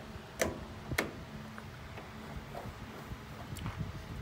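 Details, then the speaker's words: Revived field-find riding lawn mower, key on, engine off: a few sharp separate clicks about half a second apart as the PTO solenoid is cycled; PTO solenoid confirmed working, deck mechanicals still suspect. "we know that the solenoid for the pto works because we cycled that with the key on and you can hear it"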